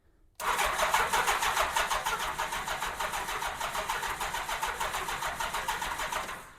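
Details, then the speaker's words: 1987 Honda GL1200 Goldwing, first crank in many years on a fresh 12.74 V battery, fuel pump not working. Steady cranking at about three pulses a second with a rough, buzzy edge, drawing at most 7 amps; odd starter sound, cause unknown. "Looks at the most it's drawing 7 amps. I think that's acceptable. But I don't know if that uh starter is supposed to sound like that. I think it probably is, but I really don't know."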